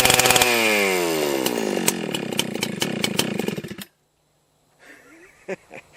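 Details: Husqvarna 281/288 chainsaw during revival: it buzzes high and hangs at fast idle instead of dropping back, then cuts out. The half-throttle latch is sticking and needs adjustment; parts including the clutch are to be ordered.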